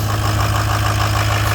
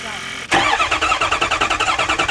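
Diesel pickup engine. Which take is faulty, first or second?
second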